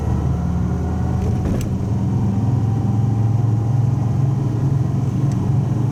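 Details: Old Subaru wagon after welding in a new muffler to replace the X-Force straight-through one, first start: smooth, deep, even rumble with no rattles, blowing or popping; exhaust sounds healthy and fairly subdued.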